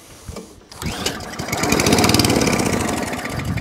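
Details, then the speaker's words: Atco Balmoral Allett 20-inch lawnmower, bought as spares/repairs, with starting spray down the plug hole: catches and fires in quick, uneven beats, running only briefly before dying; owner suspects a fuel delivery issue. "that's what it's doing that's it no more so i'm suspecting fuel delivery issue"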